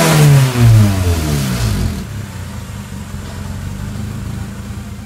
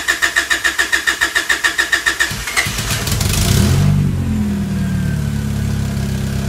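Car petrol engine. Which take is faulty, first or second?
first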